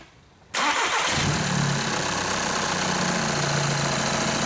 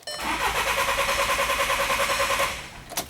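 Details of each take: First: 2011 VW Jetta 2.0 TDI diesel after no-start repair for low fuel pressure codes, fuel pump supply activation run: quick crank, clean catch, smooth steady idle with no stumbling or hunting; normal start and idle, road test fine, no check engine light. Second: 2011 VW Jetta 2.0 TDI towed in after it quit running, with low fuel pressure trouble codes and a full tank; cranks evenly for two seconds, kept brief to protect the high-pressure pump, but won't fire; cause not yet diagnosed.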